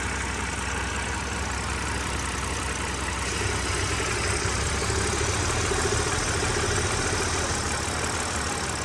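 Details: BMW E60 N52 idling with the oil cap off: a constant airy hiss from the intake manifold area, and the PCV return hose to the oil pan leaks oil. Owner suspects a blown PCV valve.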